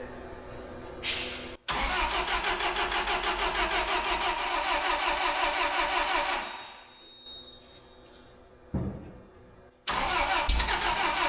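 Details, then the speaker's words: Terex crane engine after new spark plugs and wires, low on coolant: cranks, catches, runs a few seconds with uneven lumpy beat at idle then dies; runs well off idle; suspected propane injection issue, new plugs made no difference. "seems like we still have a propane injection issue really doesn't seem to run any different than it did"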